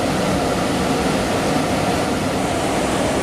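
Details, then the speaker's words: Central AC furnace blower after its control circuit board was replaced; before, the blower wouldn't run: a steady, even rush of air on high with no knocks or squeals. Normal blower operation. "There, it's kicking into high. So the unit is blowing. That was my problem before, was having it blow."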